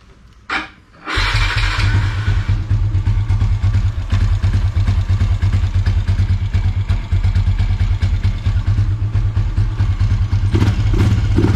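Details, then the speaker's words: Motorcycle engine running RLT Racing Fast Runner oil, started after a short crank and settling to a steady, even idle with no knocks or rattles; gear shifts reported smooth; normal healthy start and idle. "okey aa mungkin tak clear sebab dalam video memang tak akan dapat clear betul-betullah tapi memang tak ada bunyi pelik-pelik bagi aku"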